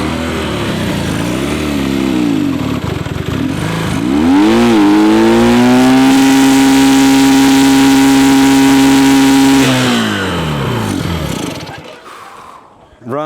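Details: Abandoned Honda Dream motorcycle, long stored in a warehouse, revs up and settles into a steady, even drone around cruising speed while ridden, then fades out; clean and smooth, running well.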